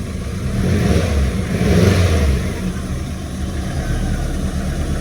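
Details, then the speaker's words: Ford Escort XR3i rough runner after a cold start: a couple of short revs, then it settles into a steady, even idle on its own without stalling, having struggled at first; normal idle. "But as you can see, even though it was kind of struggling, it started and it's running on its own steam."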